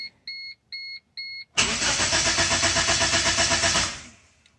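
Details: First-generation Chevy (Geo) Metro, Suzuki-built: with key on, no fuel pump prime is heard; three chimes, then steady cranking at about four turns a second that never catches; crank no-start, cause suspected, not confirmed.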